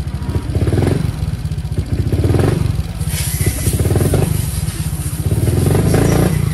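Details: Modified Honda Click 125 scooter that starts easily: the engine surges and sags roughly every second and a half when opened up and never pulls cleanly; stumble under throttle, cause suspected, not confirmed.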